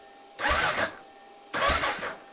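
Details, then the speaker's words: 1993 Kawasaki KLR650 after head gasket, timing chain and bottom-end rebuild, in neutral with fresh-charged battery: two short even cranking bursts without grinding or clatter; starter turns the rebuilt engine freely. "Now let's just see if she pops. It turns over. Let's go easy."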